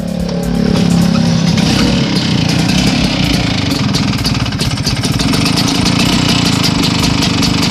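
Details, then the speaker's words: Vespa PX two-stroke engine runs with a dry, clattering rattle over its buzz; reportedly it still rides normally. Piston or rings suspected. "Jadi bisa didengarkan suara mesin yang kemerasak. Ya. Oke, langsung dibuka aja. Ya, bunyi seperti itu, kemerasak, bro."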